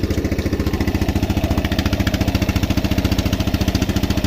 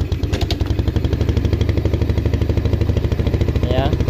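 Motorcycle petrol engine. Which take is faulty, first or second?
first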